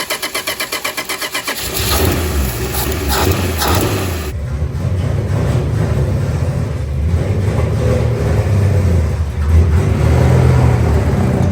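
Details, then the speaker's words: 1962 Dodge Lancer six after carburetor overhaul and points work, now firing on all six cylinders: cranks, catches and settles into an uneven, lumpy idle near stalling; covered in fuel, stalls sometimes, revs cleanly. Rough running. "now I know what it sounds like it sounds like garbage and it's covered in gas trying to be on fire"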